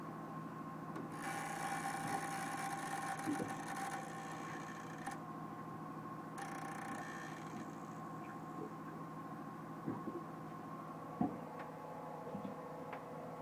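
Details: Pro Mariner battery charger on MerCruiser boat: quiet irregular rasping with scattered ticks about a couple per second over faint electrical hum; abnormal charger noise.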